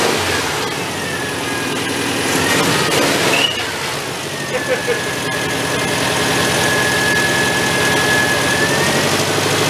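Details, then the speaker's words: Homemade 1970s Volkswagen-engined tractor: uneven, lumpy beat at fast idle, about three pulses a second, hunting slightly; runs rough, owner suspects ignition timing is off and needs rotating. "Move that timing a little bit. It sounds like it's off."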